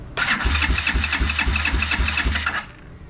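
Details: Motorcycle, air filter off, key on: about four even cranking pulses a second for two seconds, then silence with no catch. It turns over but won't fire; no fuel seen at the carburetor.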